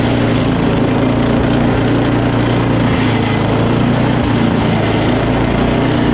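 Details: Small single-cylinder engine after a quick carb clean, primer now making noise, started and just running: steady, even putter with no misses or surging; runs smoothly and sounds healthy.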